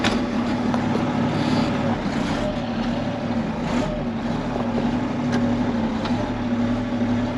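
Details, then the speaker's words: Case 1370 turbo diesel tractor with big duals, second range on powershift, pushing in mud: steady even diesel drone, no knocks or rattles, turbo audible; oil pressure comes up to 50 PSI. Healthy running under load. "she sounds healthy you can hear that turbo not wanting to turn in the mud"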